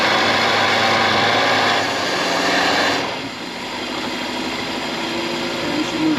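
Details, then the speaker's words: 1951 Buick Super straight-eight, first start after about 25 years sitting, running on fuel in the carburetor bowls: even, steady, very smooth idle with no misses, knocks or ticks. "it fired up and ran and ran very incredibly smooth I cannot believe how smooth this was running after setting all those years"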